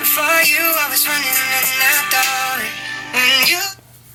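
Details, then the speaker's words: iPhone 6s (bought new 2015) playing music through its speaker before repair; harsh papery buzz on every note, speaker sounds blown, speakerphone calls nearly unintelligible. "the speaker sounds like it's blown it's really really buzzy and especially when you're making speaker phone calls which I do all the time the other person is practically unintelligible sometimes"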